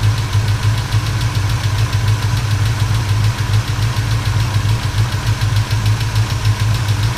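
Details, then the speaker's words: 1977 Chevrolet C10 V8 after valve lash adjustment and broken rocker arm, warm after a drive: quick light tapping about three per second over rumbling idle; owner suspects a lifter or rocker on one bank. "sounds like the lifter on this side or the rocker or something I was tapping away on this"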